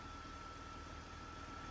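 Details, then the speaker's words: BMW 330 E46 with M54B30 six just after the lambda sensors were reconnected, with fuel trims within ±5% and lambdas oscillating correctly: a quiet, even idle with a soft steady hum and no stumbles or misses. "Lambdas are connected now.. with my "not so fancy" connection. It runs very nice at the moment."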